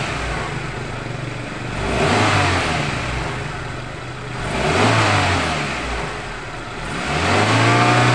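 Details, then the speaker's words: 1997 Suzuki Baleno after repairing leaking spark plug leads and the leaking cylinder 1 injector O-ring: idle now calm and three revs rise and fall cleanly with no stumble or misfire; normal revving. "nah ini untuk mesinnya sudah hidup untuk langsamnya udah tenang Ya seperti tidak seperti tadi"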